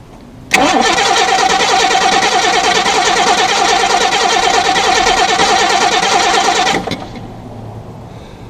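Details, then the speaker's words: 1987 Jaguar XJ6 after relay replacement (new relay fitted, a ground left unconnected): starter churns evenly about three beats per second for six seconds, never catches; fuel pressure present, cranks but won't fire. "Let me check fuel pressure. Yeah, it's got fuel pressure. It's cranking."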